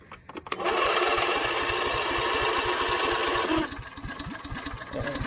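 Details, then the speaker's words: Husqvarna YTH24V48 riding mower with a no-start complaint, unchoked with throttle on slow: the engine catches and runs unevenly for about three seconds, then dies; owner suspects a bad fuel pump or its cracked vacuum line is starving it of fuel. "All right, these things, you see how it died? It didn't want to stay running, although I didn't choke it, and I have it on slow."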